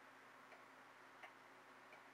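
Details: Regulator clock after calendar hand repair, case closed: faint, evenly spaced ticks about every 0.7 seconds in a quiet room; steady beat.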